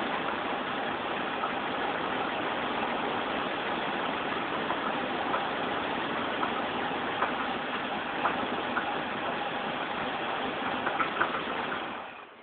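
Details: Chevrolet Monte Carlo at a steady idle with a faint, uneven tapping knock on top. Owner suspects a bent pushrod, unconfirmed.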